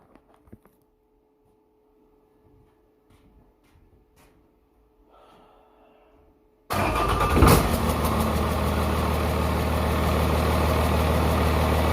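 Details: 1994 Dodge 250 12-valve Cummins diesel with P-pump, high mileage, rear main seal leak, injection lines bled; after a basic valve set (intakes 10 thou, exhausts 20) it catches and settles into a steady, even idle with regular clatter, no miss or knock: normal idle.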